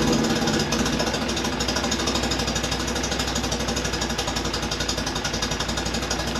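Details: Fiat X1/9 after clutch replacement, engine not yet tuned. Uneven, choppy pulsing at about three beats a second over a busy clatter; rough idle, cause unconfirmed.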